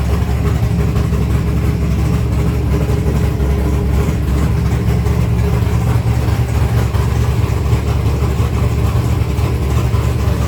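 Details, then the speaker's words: 1964 Ford Fairlane V8 with modified dual carbs, cold and not yet warmed up, idling just under 1,000 rpm (about 900): a deep, steady burble with even pulses and no misses or stumble; normal idle. "It's not even warmed up yet. >> It sounds good, though."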